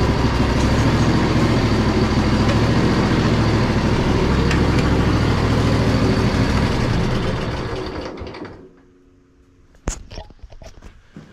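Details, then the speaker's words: Poulan Pro zero-turn mower, sat about a year or more, with deck engaged: steady even engine drone, faint hydro whine, no spindle rumble or grinding, then shuts down; runs surprisingly well despite its rough condition. "is no way that you could have paid me to know that this machine would run that well looking at it"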